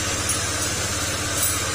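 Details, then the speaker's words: Honda Click 125 scooter engine running: a harsh, gritty metallic grinding over the idle beat, like corn being milled inside the engine and sounding like a big bike. Mechanic attributes it to the crankshaft bearing; the fix is replacing that bearing. "Parang may ginigiling. Parang may ginigiling na mais sa loob ng makina at na parang tunog big bike."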